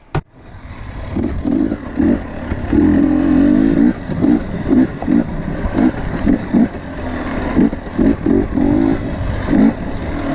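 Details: KTM 250 XC-W TPI two-stroke after the failed crankcase pressure sensor was dealt with; before, it wouldn't warm up, loaded up and sputtered at low rpm. Now crisp throttle blips rise cleanly and drop back to a steady idle; running healthy.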